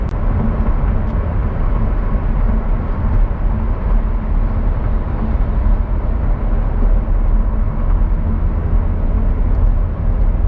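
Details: Car driving at speed after replacing a noisy rear wheel bearing: steady, even low road rumble with no growl or whirr rising above it, normal new-bearing sound.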